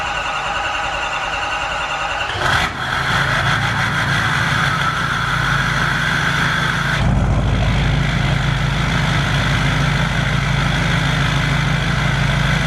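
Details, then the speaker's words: Duramax diesel swapped into a squarebody truck, first start on fresh break-in oil before a 2,000 rpm cam break-in; starter whirs, catches around seven seconds and settles into an even, steady idle with no knock; sounds healthy. "Uh, it does sound healthy so far."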